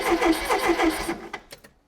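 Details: Mk1 Ford Fiesta Super Sport barn find, parked on blocks for about 20 years; starter spins the engine with even compression pulses about five a second but it never catches, no spark at the hanging plug, though the fuel pump works.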